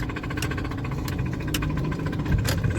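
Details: Honda Civic idling with a fast metallic tick and sharp, uneven knocks from inside the engine, described as sounding like metal grinding, with a mechanic on hand. Engine knocking at idle.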